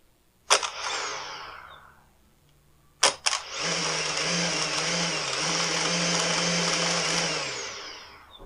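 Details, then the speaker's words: Husqvarna T536LiXP battery chainsaw, customer complaint of erratic running: high-pitched motor whine surges and sags unevenly for about five seconds, never holding steady speed; erratic running, cause not yet found. "listen to this thing on the customer complaint was that it ran erratically and I would have to agree with him on that"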